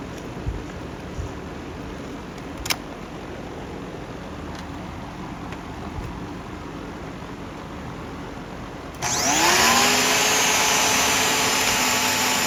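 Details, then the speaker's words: Simplicity Symmetry upright vacuum after brush cleaning and reseating the lifetime belt and linkage: motor switches on and winds up to a steady high whine with the brush roll spinning freely with no floor load. It is working perfectly. "Working perfectly now. It's only taken a little while to slow down because there's no resistance on it like there would be with the carpet or a floor."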